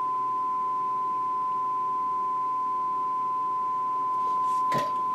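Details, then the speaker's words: Restored Dynaco Mark III tube amplifier brought up to about 107–113 V input, bias near 1.3–1.51 V: steady pure 1 kHz tone with no hum, crackle or buzz; running beautifully nice and quiet. "all right that's 113 volts and we're at 1.51 gonna take it up to 1.56 and it'll probably drift up some over time but hey this thing's running beautifully nice and quiet"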